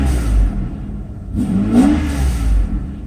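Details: Mercedes 140-chassis test car fitted with a repaired 600SL E-gas throttle control module, after a 30–40 mile trip: idle lifts into a quick clean rev that rises and settles straight back down; throttle responds smoothly and normally.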